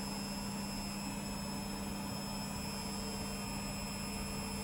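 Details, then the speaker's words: Beko WTG620M2W slimline washing machine, empty drum (no load) spin test on uneven floor: even motor hum, steady mid tone, faint whirr, no knocking or grinding; slight possible drum wobble seen but doesn't sound bad. Normal spin cycle. "i don't know it doesn't sound too bad it doesn't have a load on because you put a load in it a couple of towels or something"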